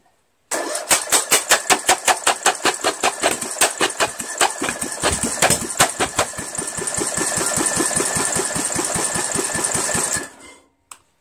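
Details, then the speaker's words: Craftsman lawn tractor with Briggs 17.5 HP engine cranked with the muffler removed: steady cranking at about 160 pulses a minute with sharp pops and flames from the exhaust, then no flames, no start; muffler not thought to be the cause. "funny how it flames and then it stops no flames at all well still didn't start"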